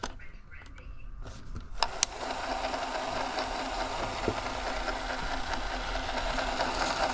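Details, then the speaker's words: Digital8/Hi8 camcorder tape after sticky layers were broken free: steady, even whir as the reel fast-forwards all the way with no catches or drag; normal fast-forward. "but now that we broke everything free it should go pretty easily so yeah check it out so it it fast forwarded all the way no problem"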